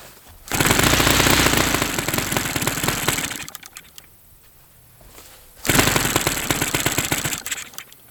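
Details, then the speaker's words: Saito FA-300T twin glow engine at about 1/3 throttle: loud uneven crackling bursts that stumble, fade and recover; rough running, one cylinder likely dropping out, cause unknown; plug swap possible. "I'm not really sure why this thing wouldn't be wanting to. It's firing."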